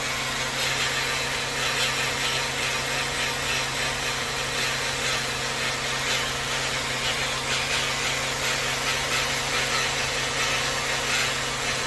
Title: 2007 Nissan Maxima transmission whine noise po746 po826 p1778 po868 warranty inspection Karcheckz